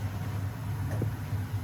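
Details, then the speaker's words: Burnham ES26 gas boiler heating system: at the intake valve, a steady low hum with faint air blowing persists even though that zone is off. Buzzing at the intake valve; possible reverse flow questioned, cause unclear. "even though this is off right um at the intake valve it's still like something is buzzing and like blowing air which is kind of weird"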